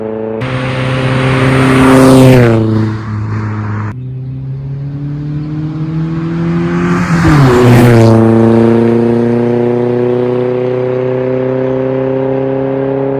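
Two clean revs rising and falling smoothly, with an even exhaust note and no puffing or ticking; exhaust sounds sealed and healthy.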